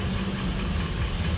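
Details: 2007 Ford E450 6.8L V10 after fuel pump replacement (the old pump had burnt wires, causing dying after 15 minutes of driving): a steady, even low idle with no stumble, fuel pressure now good.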